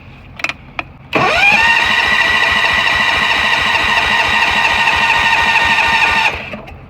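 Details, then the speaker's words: Allis Chalmers 716 hydro garden tractor in cold, snowy weather, ran two or three days ago: steady starter whirr with even compression beats about 3.7 a second, cranks but won't fire even with starting fluid; owner suspects spark issue. "ah how does something not start with starting fluid like really how is this possible it's literally called starting fluid it's almost like like it's a spark issue"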